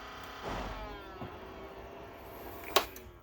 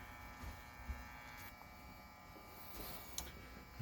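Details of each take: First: Optoma HD26 DLP projector just after power-up: the colour wheel whines and chirps because its speed isn't regulated; heat had loosened and curled the foam under the wheel, which cut into the colour wheel. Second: Optoma HD26 DLP projector after repair of loose foam that had rubbed the color wheel and caused squealing: color wheel spins up with a quiet steady hum and faint even whine, no rattle or scraping; normal running.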